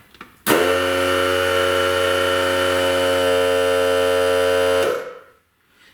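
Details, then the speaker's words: New air compressor test-run before removal from its tank for installation in a V8 Crossfire: steady even motor hum with constant buzzy tone, no knocks or rattles, quieter than the owner's other unit; normal running. "sounds like it's quieter so let's just rip into it like we did the other one"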